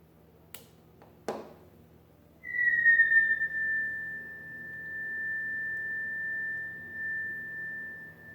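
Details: Late-1920s Standardyne Model 29 TRF tube radio after repairs: click at switch-on, then a loud steady high whistle that drops slightly and fades as the tubes warm up, possibly oscillation.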